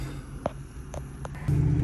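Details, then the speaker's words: 2002 Ford Mustang GT with seven stored codes and recurring misfires, reluctant above 30 mph: rough, uneven idle rumble with irregular sputtering puffs; engine misfire, cause not yet identified. "This is my son's Mustang, and it keeps having misfire issues. Can you hear it sputtering? It doesn't really want to do over 30 miles an hour."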